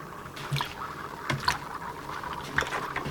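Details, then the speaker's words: Inflated bicycle inner tube (presta valve) submerged in soapy water: soft irregular bubbling and trickling with a few small pops as air escapes a very small puncture, locating the leak before sanding and patching. "And when you pull it out of the water with the soap, it should produce bubbles. And there we have our leak."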